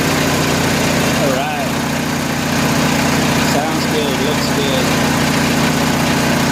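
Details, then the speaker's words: Kohler 7000 W RV generator in a GM PD4106 bus conversion, revived after Seafoam in the fuel, carburetor not yet cleaned: steady, even hum at 1800 rpm with no misses, hunting or surging; holding speed smoothly. "good old crawler 1800 rpm"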